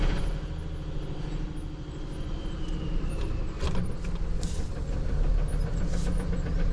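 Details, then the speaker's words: Dodge Ram 3500 with an NV4500 manual transmission, in first gear: heavy low rumble with irregular knocking under the drone. The knock gets louder in second and third and disappears in fourth, the direct drive, pointing to the transmission. "I don't know if that's showing up for you guys or not, but it's really loud. Sounds like I got a rod knock."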